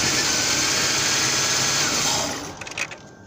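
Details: 2000–2001 Ford Taurus 3.0L stalling at stop lights and hard to restart: steady idle fades out over half a second as the engine dies when the crankshaft position sensor wire is wiggled; short inside the crank sensor connector, sensor already replaced.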